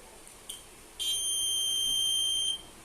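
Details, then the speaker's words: 2013 Honda Beat scooter with universal keyless remote module installed, switched on: one clear, steady high-pitched beep about a second and a half long; remote module confirming switch-on. "Dan lalu kita hidupkan seperti apa. Motor akan mengeluarkan suara ya."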